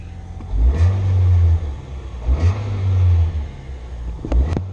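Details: 2006 Nissan Sentra 1.8L, fuel pump job: three quick throttle blips rise crisply and drop back to a steady idle without stumbling. Engine pulls cleanly and sounds healthy.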